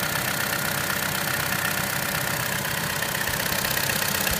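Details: 2013 Chevrolet Cruze Eco at idle gives light, quick ticking about four per second; the dealer says this noise is normal.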